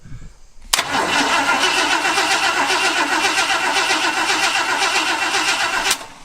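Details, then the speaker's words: Barn-find Ford F250 after 10+ years parked, cranked by bypassing corroded solenoid with booster to starter: strong even cranking about four beats a second, steady speed, no dragging or clicking; normal cranking. "she cranks sounds healthy yeah it sounds pretty good"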